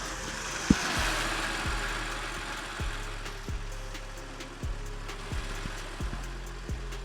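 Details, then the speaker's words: BMW E90 325i idling just after new spark plugs, aftermarket coil packs, oil and filter service: quiet, even idle with soft regular pulses and no misfire stumble, all coils working; normal idle. "so sound that sounds healthy yeah I always want to check I've had it before where I haven't replanted the coils properly but they're definitely all working fine"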